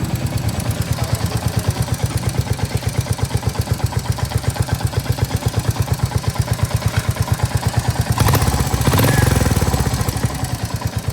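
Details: Royal Enfield Hunter 350 single-cylinder at idle with the sump guard fitted on rubber mounts; steady, even thump without extra humming or rattle. Normal idle.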